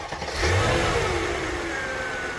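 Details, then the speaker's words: Mercedes R500 V8 with about 150,000 miles after replacing the EGR valve and cleaning the pipe to the manifold: revs rise then settle into a steady, even idle with no stumble or misfire. "wow, would you listen to that? The EGR valve definitely did the trick. It is idling perfectly smooth now."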